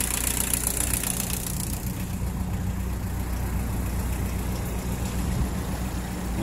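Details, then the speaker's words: 1981 VW Rabbit with 1.6 turbo diesel swapped from a 1991 Jetta; steady, even low diesel clatter at idle with no misses, knocks or surging; sounds great, runs great, idling smoothly and healthy. "and uh it's a fun little thing sounds great runs great it's got a 1.6 turbo diesel out of a Jetta 91 Jetta she's an 81 herself"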